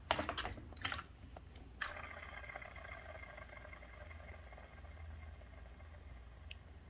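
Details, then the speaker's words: 2000 Camaro (5.3, 190k+ miles) radiator fan motor spun by hand: handling clicks, then a rough, gritty whir fading as it coasts down, no slop or play; bearing suspected, unlike a dead-silent eBay fan. "that one has a bunch of noise i don't know if you can hear it no slop no play but it's almost like you can hear the bearing or something in that one"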